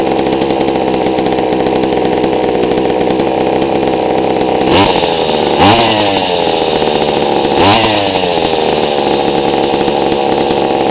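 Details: GoPed gsr40 two-stroke with 603 high-performance carb, low-speed needle leaned a bit beyond a quarter turn: even idle, clean pickup on three quick blips, settles back without bogging; normal idle and throttle response.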